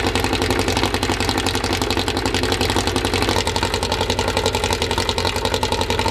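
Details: First start of a newly built 2054 engine (Fusca): steady, even fast idle around 1200 rpm, kept high so parts seat in, with a very loud, rough exhaust and light gear whir; healthy.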